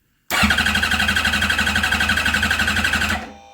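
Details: Motorcycle engine cranking during a voltage-drop cylinder balance test: quick, even cranking at about four compression beats a second; cylinder 2 dropped most voltage, number 4 slightly weak.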